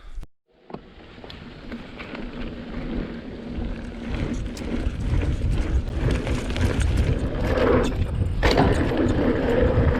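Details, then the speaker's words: 2020 Vitus Sommet CRS mountain bike at Aston Hill, chest-mounted GoPro, after wrapping the internal cables in split braided sleeving: only tyre hum and chain noise rise with pace over rough ground, no tapping from inside the frame, cables now quiet. "there we go, guys. Completely different. No more noisy, horrible rattles, which drives you mental."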